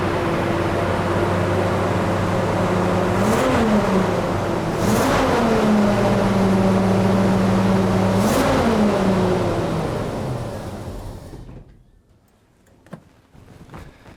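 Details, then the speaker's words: Jeep J-series truck, four-barrel carburetor rebuilt by owner, vacuum leaks sealed: held at raised revs with throttle blips, then sags and dies when throttle drops; won't idle. Owner suspects flooding from a misadjusted float, too much fuel. "So, unless I'm jamming on the gas, it won't idle. I think it's getting too much fuel."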